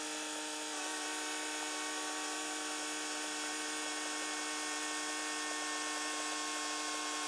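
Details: Range Rover Sport air suspension after repair, where the pump itself was the fault: steady even high compressor whine as the car lifts; healthy, though the front raises slower than the rear and the pump gets hot.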